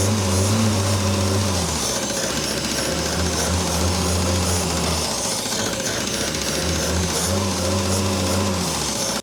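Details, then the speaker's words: 1967 Opel Rekord 2DHT Coupe after years standing, not starting, auxiliary electric fuel pump added: fast uneven clatter about three to four a second with droning hum while cranking without catching; mechanical pump clattering but apparently not lifting fuel, kinked hose suspected. "Est-ce que ça va commencer à cogner comme ça avant qu'on essaie de démarrer ? mauvais, mais oui, ça ne sert à rien si la pompe ne se soulève pas."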